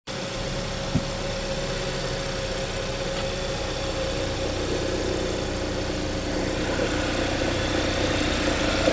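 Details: 2015 Hyundai Santa Fe, cold start: light, uneven metallic rattle over steady petrol idle after shifting into reverse; only first time in the morning or after long cool-down, not rest of drive.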